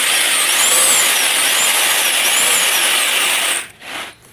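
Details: Sander after repair, armature secured so it can no longer move, sanding a piece of wood: steady high, smooth whir with no rubbing or scraping, then stops; running normally.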